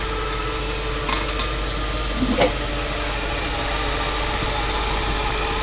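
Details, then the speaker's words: 1959 Buick Electra 225, 401 Nailhead V8 rebuilt in 1987, idling: steady, even low rumble with no knocks or misses and a faint clack or two; a healthy idle. "That engine sounds really good. Has it been rebuilt or anything? It was rebuilt many years ago."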